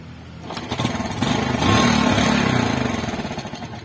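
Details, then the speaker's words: Yamaha Spark motorcycle idling lumpy and surging, won't hold idle and stalls, stumbles when ridden; running too rich from a faulty fuel tap, not the carburettor; fix is bypassing the tap with an inline fuel filter. "อ่านี่นะครับปล่อยเดินเบาไม่ได้ดับ"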